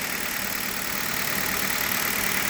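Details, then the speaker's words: Hyundai Solaris engine at cold idle, about 2,000 km on Liqui Moly 5W-30, 29,000-odd km total, new coil wiring harness fitted: steady, even idle with light crisp ticking, no knock, shaking or stumble; normal cold idle. "можете послушать работу мотора на холодную получается я больше двух тысяч проектов на а ликви моли 5 в 30 наполним мотор у меня 14 пробег 29 что-то стопе и четко ровно не тресется не дергается"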